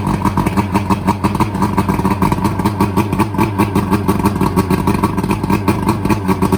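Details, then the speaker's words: Boat outboard that was half underwater when the boat sank two days earlier, tested after the bad fuel was replaced with fresh fuel: steady, even run with a regular firing beat and no misses or knocks; normal running. "Looks like that one's fine. This is the one that I'm worried about because it was halfway underwater. So let's see what we got here. Hey, that one's working."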